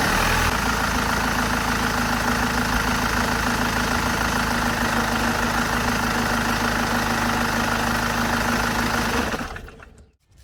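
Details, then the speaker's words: After replacing the belt tensioner/idler pulley assembly (its fatigued spring had let the belt squeal) and fitting a new belt, the BMW E60 520d M47 diesel idles with even clatter and shuts down cleanly, no squeal at start or shutdown. "หลังจากเปลี่ยนชุดตั้งสายพานลูกลอกแล้วก็เปลี่ยนสายพานใหม่เรียบร้อยแล้วเสียงสายพานตอนสตาร์ทเครื่องหรือตอนดับเครื่องที่ดังเอี๊ยดนะครับเสียงสายพานเบรกที่ดังเอี๊ยดเนี่ยเงียบไปนะครับ"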